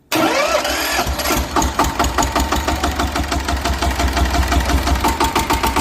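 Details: Yanmar TS190R diesel generator with a brushless alternator, after fixing a hard start by replacing the diesel pump. It catches at once and settles into an even, steady chug with no misses or knocks. Running normally.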